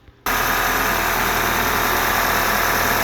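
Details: 2010 Audi A4 2.0T Premium Quattro running as-is before compression test: steady dense engine roar with faint uneven low pulse; rough, sluggish running, DTC P0303 cylinder 3 misfire, later traced to a stuck-open cylinder 3 fuel injector.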